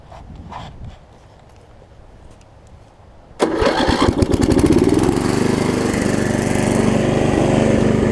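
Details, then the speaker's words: Snapper 28-inch rear-engine rider, pull rope just replaced, choke arm possibly not working: starts at once and settles into a steady, even single-cylinder run with no misses; normal running. "yep so seems like it's doing alright"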